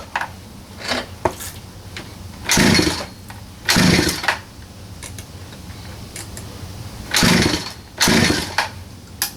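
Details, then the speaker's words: 47cc Chinese pocket bike, choke open, throttle applied: short buzzy two-stroke revs sag and die within a second; bogs after starting, clogged carburetor jet suspected. "I'm going to start it up for you just so you can see um it's just bogging out"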